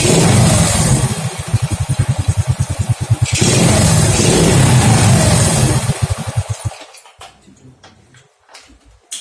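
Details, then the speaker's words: Honda Grand motorcycle with stock carburetor, after replacing the pulser (previously would not start), current CDI: engine fires unevenly in stuttering bursts about three a second and dies, hesitating and misfiring; owner next tries swapping a used Supra Fit CDI. "Suaranya seperti ini ya, agak telat. Ini tadinya sebelum ganti pulser nggak mau hidup, susah banget hidupnya. Setelah saya ganti, ternyata telat seperti ini."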